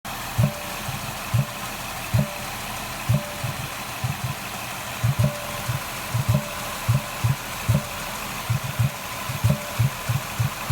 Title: Ford Escape thumping noise at air intake